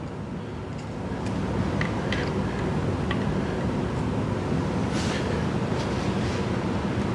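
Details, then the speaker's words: Freshly rebuilt V8 after cam install with timing advanced: even, smooth idle with a mild muscle-car burble and no choppy race-cam lope. Healthy normal idle. "Now, this engine will not have like a lope or anything like that, like you know, like how a race car would sound."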